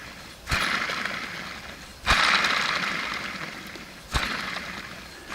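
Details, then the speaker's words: Alternator off a 2011 Super Air Nautique wakeboard boat, pulley spun by hand with serpentine belt off: gravelly rumble fading as rotor slows, like gravel rolling inside; bearings shot, alternator being replaced and upgraded. "if it sounds like a bunch of gravel rolling around inside there you know those bearings are shot and that's what we have today"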